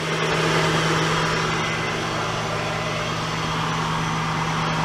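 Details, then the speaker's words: 2003 Acura CL Type S idling after tensioner pulley replacement: steady, even idle with a smooth low hum and no chirp or rattle from the belt side; the earlier noise is gone, a normal idle. "let's take a listen let's see what sounds like well the noise is gone that sounds good"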